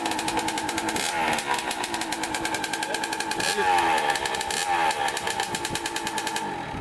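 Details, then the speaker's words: Kawasaki KX65 two-stroke dirt bike after repair, ridden: harsh, crackly rasp rising and falling with throttle, very loud; rider says the silencer needs some repacking. "some repacking but yeah it's really loud"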